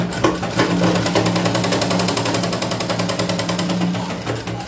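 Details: Sewing machine stitching with a rapid tak-tak clatter about three beats per second; shuttle hook striking a part below, fixed by adjusting the shuttle setting.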